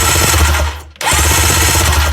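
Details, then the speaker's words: Jet ski with all plugs out, after tightening the loose battery earth, 12.7 V battery: starter spins the engine fast and even with a smooth whirr, brief pause, then spins freely again; healthy cranking, no compression. "it's spinning over, beautiful."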